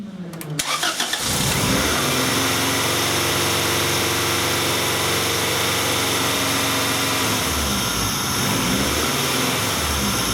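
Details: 1994 Acura Integra, 1.8 L DOHC engine: starts, then warm idle drifts up and down, typical Honda-Acura surge, recorded while the idle air control valve duty cycle is scoped; computer is trying to close the valve; fix is adjusting the cold fast idle valve.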